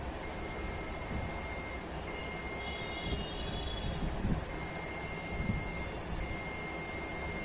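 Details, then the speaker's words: Samsung UA40K5000AR LED TV (V400HJ6-PE1), no picture but sound and backlight OK; meter on continuity gives steady high beep across capacitor beside CD20, dead short, causing missing DC-DC IC voltages; to be removed. "ये PF short है, जिसके कारण हमारे सारे DC to DC IC के voltage miss हो रहे थे।"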